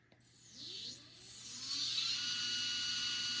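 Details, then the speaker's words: Sky-Watcher HEQ5 Pro mount after axis resistance and backlash tune-up, slewing at rate 9 (fastest) to check for binding: motor whine ramps smoothly to steady high pitch, no catching, grinding or pulsing; mount runs freely. "Now I want to slew and listen for any binding. Just waiting for this to initialize. All right, so we're at rate 9 here, which is the fastest."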